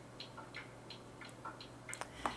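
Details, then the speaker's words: Old, battered battery-powered MiniDisc player connected to a stereo: faint quick ticking and soft whirring from the mechanism, no grinding or scraping; the disc reads and plays normally. "Is it going to play something? Yes it is, you can hear it playing."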